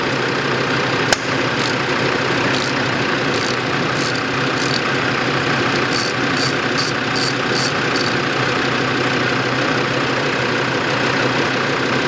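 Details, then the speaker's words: 2005 Land Rover Defender 2.5 turbodiesel manual, 92,000 km, on lift in fourth gear: wheel spinning with sharp evenly spaced clicking over the drone from the right front hub; hub bearings worn, being replaced. "явные щелчки я часть еще круче вот эту пробку послушать из привода идет или не из привода"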